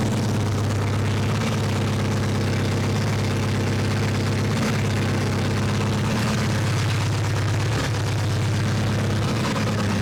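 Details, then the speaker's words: 2006 Mini Cooper S R53 after cylinder head replacement, longer run warming up: steady, even, smooth idle with no knocking or misfire; oil pressure good, no leaks, smoke attributed to spilled coolant on exhaust wrap; normal idle. "i'm sure it sounds okay like pressure oil pressure is good"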